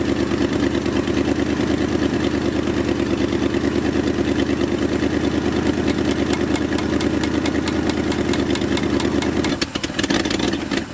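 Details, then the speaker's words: 1978 Jeep J20 360 V8 after sitting 15 years, just fitted with new carburetor gaskets and needle and seat: uneven, stumbling idle with irregular beats for about nine seconds, then it dies; fuel line problem toward the rear suspected, not confirmed. "huh that is weird I don't know what is going on"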